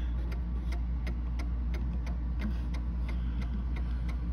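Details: Mantel clock set back in beat with the crutch rod centred free in its hoop: even tick-tock about three ticks a second, evenly spaced over low room hum, running freely.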